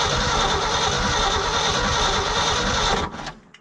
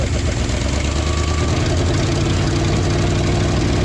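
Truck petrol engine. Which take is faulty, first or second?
first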